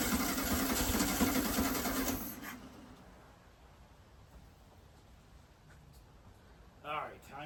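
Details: 1969 VW Beetle not started in 33 years, first start attempt after rigging a fuel supply: even starter cranking for about two seconds at a steady beat, no firing or catch, then silence. Cranks but won't start; the carburetor is judged to need cleaning.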